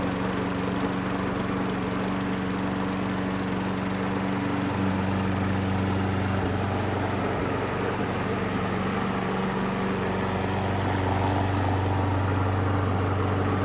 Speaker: Definitely make somebody a decent mower. Runs awesome.